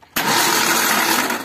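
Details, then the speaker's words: Suzuki APV (G15 series) with a broken timing belt: a harsh, whirring, noisy starter that still works spins the engine evenly, but it cranks and never starts; the fuel pump still runs. "Oke. Motor starter berisik yo. Motor starter berisik tapi masih bekerja yo."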